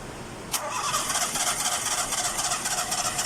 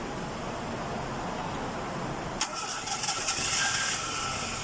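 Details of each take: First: Nissan Sunny: starter spins the engine steadily at about four turns a second, but it never fires or catches; cranks but no start. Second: Nissan Sunny after repair of crank-but-no-start fault, quiet then sharp crank catching at about two and a half seconds and settling to steady idle; normal start.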